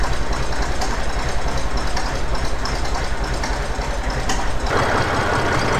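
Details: Massey Ferguson 35X diesel tractor cold start: steady, lumpy chugging idle around a hundred beats a minute, rough but even; normal cold start and idle.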